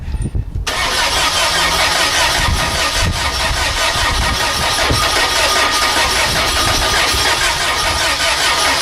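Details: VW engine running on vaporized gasoline drawn with intake air through a vapor carburetor: short crank, catches, loud steady rough-edged run without stalling.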